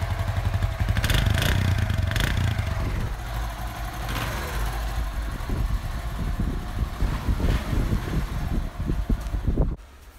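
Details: Honda CD 70 after carburetor cleaning for missing and stalling: engine picks up cleanly on each throttle blip and settles back without stalling or missing; carburetor now running right.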